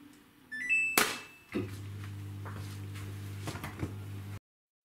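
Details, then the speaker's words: Samsung WW10N645RBW washing machine on first use, second program: a couple of beeps, then a low steady hum for a few seconds before any water flows; normal start sequence. "the Machine grumbling but I don't hear any water"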